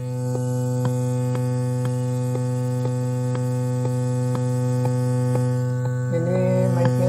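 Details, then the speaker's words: Bluetooth module on an amplifier: steady low mains-type hum with faint regular ticks, said to come from neither the power supply nor the power amplifier; ground-loop hum. "Nah, suaranya seperti ini, Sahabat. Tadi ada suara inilah ya dengung. Iya, dengungnya iya."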